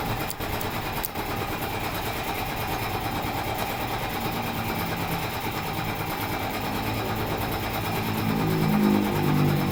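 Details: Model 411 two-stroke brush cutter after cleaning and reassembling the flooding carburetor and float: high buzzy drone holds steady, then revs smoothly without stumbling; the earlier hesitation and stalling is fixed.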